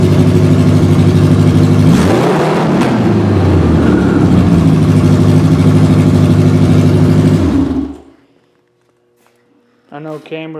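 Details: 1986 Honda Goldwing Aspencade bobber build with new timing belts, after sitting for years with carbs not gone through, Seafoam added: catches, blips up, settles into a steady even low idle, then shuts off; normal start and idle.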